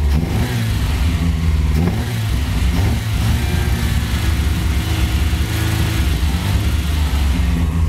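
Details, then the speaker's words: Mitsubishi Cordia just revived after 7-8 years of storage, with straight-through exhaust: loud, raspy revving held against the rev limiter with a repeated stutter. It otherwise runs cleanly and strongly; some smoke appears as it warms, likely oil burning off. "it's got a young Kobe on the air and a straight-through exhaust back in listen to their BR rev limiter"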